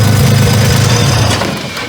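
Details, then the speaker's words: Car started right after a turbo swap: engine catches and settles into an even, deep idle with no knocks or rattles; runs cleanly after the swap. "I guess the only thing that's left to do is actually start it. Yeah, much better."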